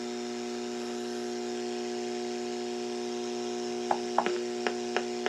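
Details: Switch-mode (SMPS) battery charger plugged in near a battery-powered portable radio tuned between AM broadcast stations: a steady buzzing hum with layered tones and sharp clicks. RF interference that makes AM and SSB reception practically unusable.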